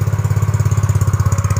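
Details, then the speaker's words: Yamaha Mio GT automatic scooter after idle adjustment: even, quick putter about fifteen pulses a second, loud raspy exhaust, idle now low and steady; normal idle. "lagu2 perhatikan guys bangsatnya menurunkan guys"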